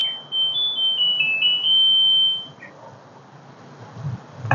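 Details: LG Direct Drive Inverter washing machine that would not finish its program; the faulty solenoid was replaced. A short, high-pitched melody of stepped beeps plays for about two seconds: the normal end-of-cycle tune.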